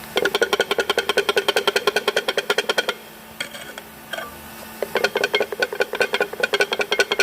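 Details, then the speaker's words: Ten-year-old Audi Q5 at about 70,000 km: loose metallic clattering in quick bursts from a worn dual-mass flywheel. "А снимали мы, потому что гремит маховик. Гремит вот"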